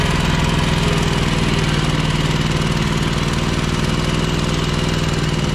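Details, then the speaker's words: Ferris 52-inch walk-behind mower twin engine running on one cylinder: uneven loping lumpy rumble, smoking, low power and worse with PTO engaged; one cylinder and plug cold, cause a bad carb O-ring blocking a fuel jet. "all right this guy is running on one cylinder"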